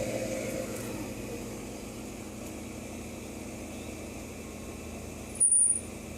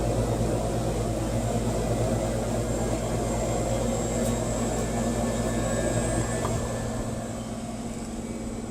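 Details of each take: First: 1992 air conditioner condenser fan motor, 30 years old: steady fan whoosh and low hum with an intermittent short high-pitched squeak from a dry bearing, about 22 months after last oiling, before re-oiling with light mineral oil. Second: 30-year-old AC condenser fan motor re-oiled with light mineral oil after chirping returned 21 months later: even, steady fan hum with low drone settling quieter, no squeak or screech; motor running normally.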